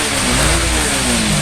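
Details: Honda CBR150R single-cylinder motorcycle, hard-starting, after repair: picks up cleanly and revs with a smooth rising buzz, no stumbling or hesitation; normal running.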